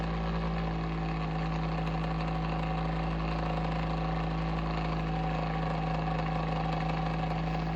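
A constant low hum with a steady droning tone that never varies points to an abnormal noise from the heater's fan motor.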